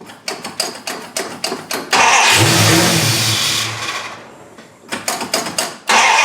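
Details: 1974 Dodge Charger started after sitting two years, carburetor missing base gasket: quick cranking, fires and revs briefly, sags and dies, then cranks and catches again; vacuum leak under carburetor, later fixed with base gasket and spacer.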